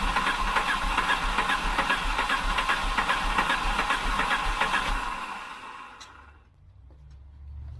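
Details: 1988 Volvo 740 GL, 2.3 petrol B230F, first start after almost 10 years stored, old fuel diluted with a few litres of fresh: steady rhythmic cranking at about 2.5 beats a second for five seconds, never firing. Long crank, no start.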